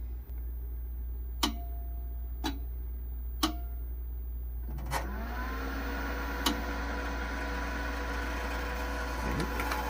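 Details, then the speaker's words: SolarEdge inverter starting up after an optimizer replacement and pairing: sharp relay clicks about a second apart as it self-tests the grid isolation relay, then fans spin up into a loud steady whir, normal. "so when you hear the relays clicking there what it's actually doing is it's testing the grid isolation relay so if uh every time it starts up it checks to make sure that relay is working"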